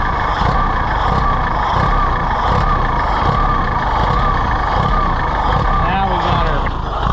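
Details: Allis-Chalmers WD tractor, possibly with a WD45 engine, first start attempt: uneven lumpy beat surging and sagging over a low drone, likely to quit. Rough running from a faulty carburetor float letting fuel through; carb rebuild planned.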